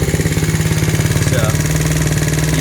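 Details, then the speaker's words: Taotao 49cc single-cylinder scooter after performance upgrades (CDI, exhaust, spark plug, air filter, carburetor, fuel intake): quick even idle with steady pulses, no misses, rear wheel not turning; normal smooth idle. "see how the performance go is when I started, that idling, the back wheel doesn't take it. So I think I did it right. But anyway, that's where everything's at. Pretty smooth."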